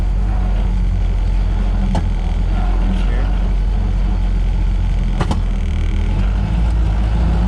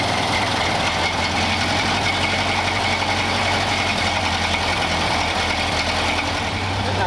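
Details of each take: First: 1931 Ford Model A coupe, long stored with sludge in the fuel tank, while driving after tank cleaning and adding a second filter: heavy labouring rumble surging unevenly with sharp bangs; no power, running rough, then stalls. Suspected fuel blockage, not confirmed. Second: 1931 Ford Model A four-cylinder, fuel tank sludged from storage: even, steady tick-over with no misses after the air-bound fuel line from the bowl to the carburettor was bled; warmed up, sounds like a stock Model A.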